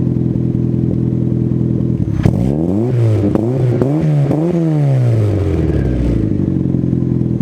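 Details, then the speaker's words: Cold start of a car with a newly installed Spelab performance muffler (2.5-inch inlet, 4-inch outlet), fiber packing not yet broken in: even idle and several quick blips that rise and fall cleanly, no rattle or leak; healthy exhaust. "so there you guys go car sounds amazing"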